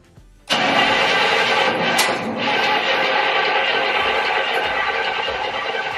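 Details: 1967 Cadillac Coupe DeVille with Quadrajet carburettor and timing off: long, even cranking for nearly six seconds without a single fire; it spins freely but there is no spark.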